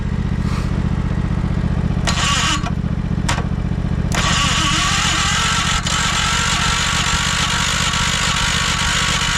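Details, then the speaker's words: 1968 John Deere 140 garden tractor, first start attempt after carb cleaner and choke, smoke from the exhaust: steady ~3/s starter chug with a few louder catches but no running; owner suspects a flooded carburetor. "All right. I don't want to burn out the starter. Damn. I bet you we flooded that carburetor."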